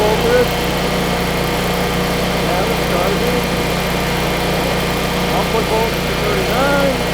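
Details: Generac standby generator running after a start from the dealer test menu: a steady, even engine drone with a constant low hum and no knocks or hunting. Output frequency reads 60 to 59.9 Hz, running normally.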